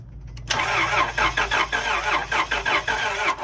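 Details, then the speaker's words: 1999 Acura TL cranking but not starting: starter churns with even, rapid compression pulses, about three or four a second, never catching; no spark found, a broken ignition connector/coil wiring is one identified issue. "okay so you don't have any spark at all"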